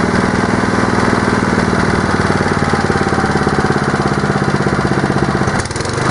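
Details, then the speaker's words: Honda steel-deck lawn mower started on choke after servicing with oil in: steady, even beat at governed speed with no misses or surging; normal running speed, and faster revving would call for a governor check. "if you're lawn mower revs any faster than that when you're just normally having it run speed I'd be uh advising that you check your Governor speed"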